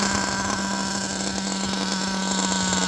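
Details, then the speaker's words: RB-modded nitro RC Nova 28.8 engine being tuned on an 80-degree day, still cold, at about 170: high buzzy note wavers and stutters unevenly, rough stumbling; owner thinks it ran rich and suspects a loose clutch valve. "That didn't sound good. That didn't sound good at all. That sounded a little rich there, people."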